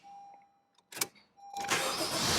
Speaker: anyway listen to the sound of the starter it sounds amazing silence one more time